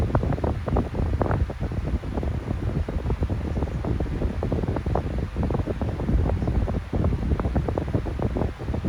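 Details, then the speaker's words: Non-branded 12-inch fan with motor bearing problems, oiled before but worn again: startup and running hum with an uneven, rattling tick from the worn motor bearings. "It does have somewhat of a startup sound. Kind of hard to hear it because the bearings are jacked up."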